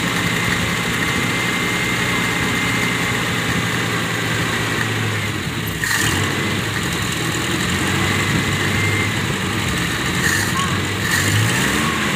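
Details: Toyota Kijang carburetted petrol engine that would not start, running again after ignition fault found (burnt coil): catches and settles into steady, even idle, no misses or knocks; normal idle.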